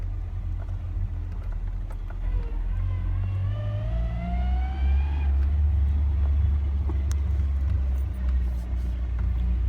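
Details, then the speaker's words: Ford Ranger driving uphill with a terrible transmission whine rising in pitch with road speed over road rumble; owner suspects a failed transmission bearing, not confirmed, and plans to pull the transmission. "but it does have a transmission problem uh a terrible whine I'll let you hear it sounds like we have a bearing out out you can hear it good when you drive it"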